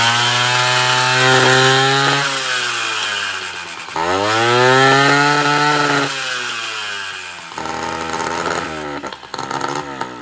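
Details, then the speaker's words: Honda Dio 34 two-stroke scooter screams and chatters harshly under throttle after 30-40 km; owner first suspected muffler or variator, cause was a failed piston-pin needle bearing, replaced. "километров 30-40 проехал и двигатель ни с того ни с сего за прям газу даешь он прям орёт стрекочет Я думал блин то ли глушитель пробился то ли что"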